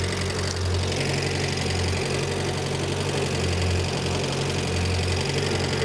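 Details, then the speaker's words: Renault 5 Gordini Turbo, non-electronic idle mixture screw turned out (richer), likely unadjusted for years; low lumpy idle with the beat sagging, delayed response; rough idle from over-rich mixture, screw turned back in. "go now that is I'm unscrewing that which makes it richer and it doesn't like it so I'm going to screw it back in again"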